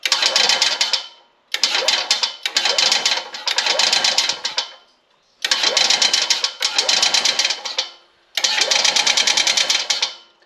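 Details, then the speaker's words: 1989 EZGO Marathon golf cart, Robin EC25-2PG 244cc two-stroke: engine surges in short rattling bursts with a rapid clattering knock, then dies; suspected piston slap, crank or rod unconfirmed, piston previously replaced. "I mean, it does want to run. It does run, but hear that clunking?"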